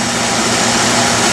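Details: Early 1960s Bell and Howell 16mm tube projector, warmed up, running forward: steady even whirr with fine fast flutter, no knocks, scraping or grinding; runs fine despite a cracked worm gear, owner plans J-B Weld reinforcement.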